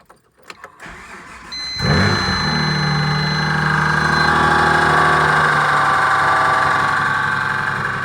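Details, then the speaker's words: Dodge Stealth, first start after rebuilding the 6G72 engine, no accessory belts fitted, collector gaskets retightened: cranks, catches and settles into a rough fast idle with rapid, fairly regular knocking underneath, source not pinned down. "about you but that still sounds like she still knocks"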